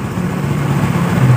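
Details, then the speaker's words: Honda Beat FI scooter after seized-piston repair, starts easily but runs only on held throttle: low, uneven, wavering putter; fuel pressure about 20 PSI instead of 40 PSI from weak fuel pump. "Nah, kebetulan ini mudah nyalanya, tapi dia tidak bisa setensioner tuh. Engkol akinya ini tuh, ini bisa hidup motornya, tuas gas dipegang ya tuh. Ini tekanannya cuma 20 ya."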